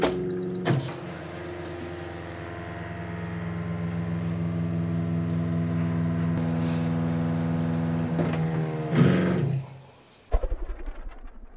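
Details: Osminion Slim Mix reverse-osmosis filter restarted after the leak sensor was dried and reconnected: quiet, even pump hum at constant pitch for several seconds, then a clean shut-off; running normally again.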